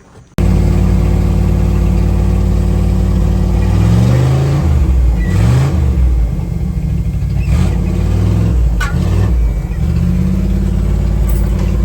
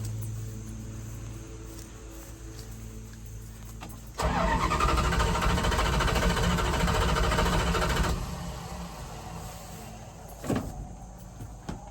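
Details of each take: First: 1978 Dodge Adventurer Power Wagon, 318 V8, automatic, 4WD, first start in over a decade: deep, even idle with a brief dip and recovery as reverse and drive are selected, no clunks or stumbling; normal idle. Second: 1978 Dodge Adventurer Power Wagon, 318 V8, automatic, not started in over a decade, fuel line cut and carburetor primed, choke disconnected; starter spins the V8 steadily for about four seconds, then a second try, never firing. Crank no start.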